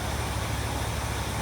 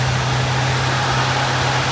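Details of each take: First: Old auction-bought Lincoln revived after decades, idling after fuel pump fix, no air filter fitted: very quiet, with fan and carburetor intake hiss louder than the faint, even exhaust rumble; running healthily, the earlier miss much improved. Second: Old auction-bought Lincoln revived after decades, idling on a newly working fuel pump after adding a few gallons of gas and filling the carburetor bowls: steady low drone with a slight irregular miss, much better than before and working itself out.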